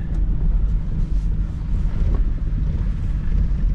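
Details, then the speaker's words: 2004 Ford Ranger Tremor after injector cleaning: low, lumpy idle with uneven beat and occasional stumbles; rough running, possibly a misfire, with overdrive light flashing and hesitation still present. "you can hear it right here just sounds like it's missing or something"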